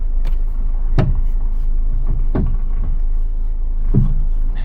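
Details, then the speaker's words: Low-mileage diesel Peugeot 207 at crawling speed: heavy irregular clunks and thuds every second or two over a low rumble; a broken coil spring. "what the was that I think we've just had a broken spring yeah we've just broken spring wow that's happened to me about twice in my entire career yeah definitely broke a spring you hear it"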